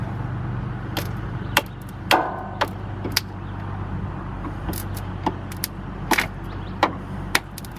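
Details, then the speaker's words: Jeep Cherokee Pioneer, sat about 20 years, keyless, starter fed 12 V directly at the ignition coil/starter solenoid before jumping from another Jeep: low laboured starter drone with irregular clunks, turns over slowly and unhappily; cause suspected, not confirmed. "Alright, now that we know that it will turn over, we're going to jump it off of Jesse's Jeep to give it some more juice because that starter sounds not happy."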